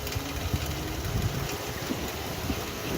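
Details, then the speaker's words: 2014 Dodge Challenger SXT with check-engine light and a misfire code on one bank: faint uneven light tapping/rattle at idle. Valve train suspected, not confirmed. "i'm hearing this a rattling sound and i'm just hoping that somebody could identify this sound from me before dude that's valve train man"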